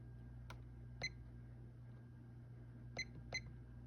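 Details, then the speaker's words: 1987 View Fan Spinner V36R 36-inch ceiling fan, a cheap model known for poor bearings and cyclic flux noise, on low speed from the outlet; the canopy vibrates. Steady low electrical hum with a few light clicks, no cyclic growl or grinding. Bearings quiet. "Low speed's about average. I actually do like this low speed. It's pretty hummy. But there are no cyclic flux issues, and no bearing noise to be heard."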